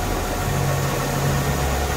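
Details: Mercedes-Benz W203 C240 Elegance with 70,000 km, idling after engine, suspension and electrical parts renewed including new engine oil; steady, even low rumble with no knocks, ticks or misses, engine sounds healthy.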